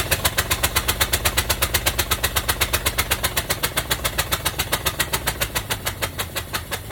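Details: 1965 Cadillac hearse, four-wheel drive, seized from sitting for years, first start: rough, loping idle with a heavy puff about four times a second; one cylinder dead, spark plug missing.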